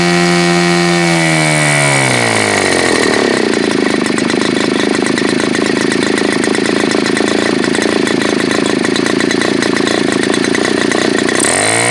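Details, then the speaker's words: Super Tigre G4500 glow engine, hand started, first run on a stand: climbs smoothly from low revs to a steady, high, even scream without sagging; needs throttle raised slowly, runs well. "So this seems to be one of those engines where you kind of need to slowly increase the throttle, and the last portion of this run was really good, I thought, for what it is."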